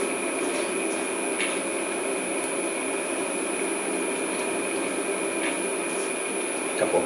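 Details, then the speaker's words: Original 1941 Westinghouse 1 HP three-phase lathe motor after cleaning and new bearings, run on a VFD: smooth, steady hum with faint even whine, no knocking or rumble; motor and bearings healthy. "I'm just going to give it a quick little bump okay no problems there we're gonna let it run oh yeah smooth and quiet that's where I like"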